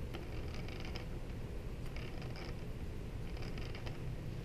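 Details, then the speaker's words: DJI Inspire 2 red-marked motor with its propeller fitted: low whirring spin-down with dry, uneven creaking, while the white motor is silent. First thought a bearing fault, but traced to out-of-tolerance red propeller mounts. "this is the red motor when you spin it sounds like that Ferenc this is the white motor no sound"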